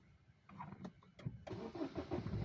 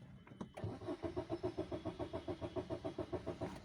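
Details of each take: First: Baleno diesel that cuts out and won't restart when hot after 100–200 km; the cause given is wiring resistance rising with heat and cutting the fuel pump supply. The starter cranks briefly, then it catches cleanly into a steady, even clatter; normal start. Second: Maruti Suzuki Baleno diesel that shuts off after 100–200 km and won't restart when hot, no scan codes: steady starter cranking about three and a half turns a second never catches; fuel feed pump losing power as wiring heats up.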